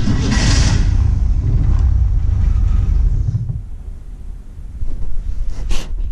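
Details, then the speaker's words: Engine on a new ignition switch and rewired ignition catches with a low rumble for about three seconds, then sags and dies; it is starving for fuel, and the owner suspects clogged fuel lines or a bad fuel pump. "it's not getting fuel up there I put a couple gallons of gas on it but I'm guessing the gas lines are probably all clogged up or the fuel pumps bad"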